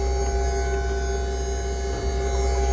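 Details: VMP ice tank electric coolant pump on supercharged 5.0 S550 Mustang, new pump temporarily rigged and running with water: steady even hum, constant pitch, no rattle or surging; running smoothly with good flow.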